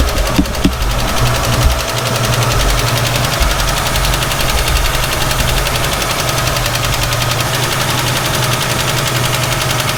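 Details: 1967 Ford Mustang, long-sitting, carburetor suspected to need rebuilding, cold and idling rough on heavy choke: fast light ticking rattle over the rumble, first taken for valve tick but later traced to a loose rattling PCV valve.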